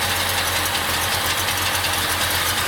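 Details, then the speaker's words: 1951 Chevrolet 3100 pickup with a 5.7 small-block V8, Edelbrock carb, automatic, straight pipes with cherry bombs, warmed up a little: loud, steady lumpy idle with raspy open exhaust and hiss, with an occasional chirp, probably a belt; no knock or misfire. Normal idle. "That's a Chevy 5.7, small block, I'm sure I said, Edelbrock Carb. Straight through pipes with cherry bombs. Sounds absolutely amazing."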